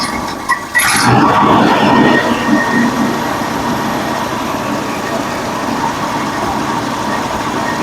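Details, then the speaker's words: 1965 Ford Mustang, original engine not run in over two years, running again after fuel pump replacement, before carburettor and air-fuel adjustment: brief bump then steady, even idle with no misses or ticks; already running pretty well. "it's already running pretty good"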